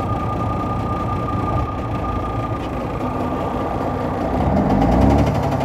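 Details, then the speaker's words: Volvo VNL 780 truck diesel, running after 670 km driven: rough, uneven knock about four a second over the drone; knocking in the engine that started suddenly minutes earlier while driving, cause unknown. "появился стук какой-то вот буквально 5 минут назад ехал ни с того ни сего раз и все это что Застучал"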